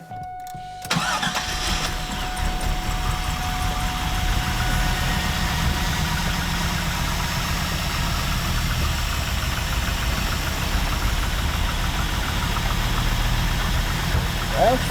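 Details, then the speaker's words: 2001 Firebird Ram Air, sitting a long time, fluids checked: fires after a short crank into a heavy, uneven rough idle; suspected clogged fuel injectors, plan to replace injectors and fuel filter. "start it sounds like it's got a couple bad clogged injectors so we'll change the fuel injectors and we'll change the fuel filter and she'll probably run just fine then"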